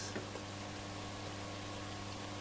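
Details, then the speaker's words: Roberts R747 radio switched off with volume down: steady low mains hum under a hiss. Suspected power supply fault. "quite a lot of mains hum. In the off position, so it would suggest to me that possibly we've got a power supply issue. That is loud."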